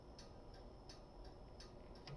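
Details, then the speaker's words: 1951 Chevrolet Styleline Deluxe after rewiring and conversion to 12 volts with new bulbs, signals and hazards on; soft steady flasher clicking about twice a second, cycling normally. "you can hear that flasher going which is actually nice to have again"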